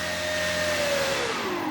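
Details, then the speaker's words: E-flite Commander mPd 1.4m electric plane after a crash and repairs: the motor and prop hold a steady, clean tone through the whole throttle range, then ease down with no resonance or vibration; the spinner wobbles but the prop is balanced. "as much as I don't like the fact that there's a wobble on there it sounds perfect and it's not vibrating which means it's better so I don't really care if it wobbles if it's quiet that means it's balanced"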